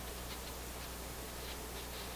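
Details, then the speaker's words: AF-610 Japanese AM/FM tube radio during FM troubleshooting, on full power: only a steady even hiss with no station in weak mode; FM reception weak, cause unknown. "put it on full power here. Okay, hear a little hiss. There, it's in weak mode."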